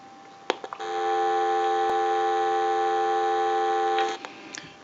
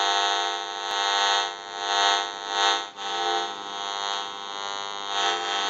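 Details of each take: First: General Electric 27909 cordless telephone, ring cycle from the analyzer: clean, steady warbling ring for about three seconds with no dropouts; ringer working properly. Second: General Electric 27909 cordless telephone with a transmit issue, on the bench at dial tone; steady buzzy drone of stacked tones over hiss that swells and fades, radio-frequency interference from the phone's signal leaking into the audio.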